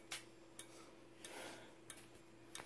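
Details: Simplex 4903-9219 strobe, 15 candela, flashing 60 times per minute, powered from batteries: sharp ticks about every two-thirds of a second over a faint constant high whistle from the charging capacitor; strobe flashing normally.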